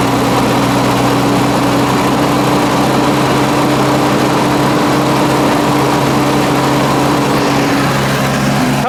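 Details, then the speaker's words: Mazda FC3S RX-7 Turbo II rotary, sat roughly 10 years, first start after fuel system rebuild and idle set screw adjustment, running from a temporary fuel tank: steady even idle hum with no hunting or misses. Normal idle. "Boys, we have an idling rotary."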